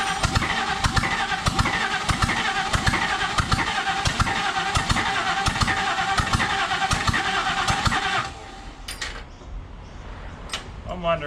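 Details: Partially stripped, rat-infested 302 Cleveland Ford V8 donor engine for a P6 LTD, unrun 20 years, choke and fuel poured in: starter cranks about two turns a second, even compression pulses, never catches; no start, timing suspected slightly off.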